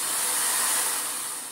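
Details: Vorwerk Kobold VK150 vacuum after checking the bag and refitting filter and bag: steady high airy suction-motor whoosh, even with no surging or rattle; running normally.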